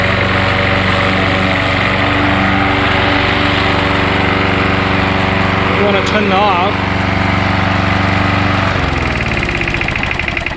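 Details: Gas lawnmower running on propane fed into the carburetor intake with the valve opened slightly: the small single-cylinder engine holds a steady, even putter for about nine seconds, then winds down; runs fine but the mixture still needs adjusting.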